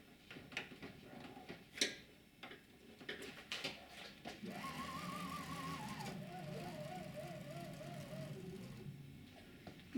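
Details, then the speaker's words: Chinese laser cutter after fitting a new drive belt; as the head travels a soft stepper motor whine rises and falls in a steady wow-wow pulse; cyclic problem in the belt drive. "that's interesting you can hear that Wow Wow Wow right now we're looking right down at this drive wheel which the belt runs round"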